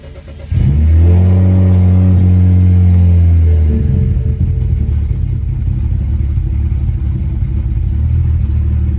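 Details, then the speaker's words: BMW 335 with the N54 engine, new plugs, coils and index 12 injectors, cold start after sitting overnight: flares to a high idle, then stumbles roughly with a check engine light and is fine once warm. Cold start misfire; high pressure fuel pump suspected, not confirmed. "ight you started up you know what misfire is really bad but once it gets up to temp everything is fine there is my misfiring"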